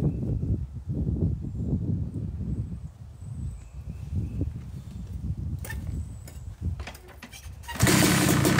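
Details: Yamaha YZ250 two-stroke (250cc/270cc) freshly rebuilt engine, second start after cooling, warming to about 100–125 degrees during break-in: uneven burbling idle with gentle throttle blips ending in sharper rev; normal warm-up idle.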